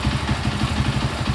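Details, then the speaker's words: Honda CB100 single after ignition timing reset: slow, slightly lumpy idle with uneven low putter; idle set too low, carburettor likely needs resetting; suspected, not confirmed. "Oh ya Oke ini karena stasionernya Kurang tinggi ya oleh seperti itu suaranya mesinnya nih Sudah sedikit stabil ini mungkin tinggal setingan karbu nya mungkin perlu disetting ulang lagi"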